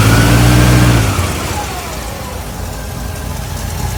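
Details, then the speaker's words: 1964 Buick LeSabre V8 at warm idle after carb refresh and new alternator: faint whir over puffing exhaust-leak ticks; whir source unknown, owner suspects water pump bearing, an air leak, or torque converter/transmission. "All kinds of noises, >> [music] >> exhaust leaks and I don't know what that whirring noise is. Water pump bearing? I don't know."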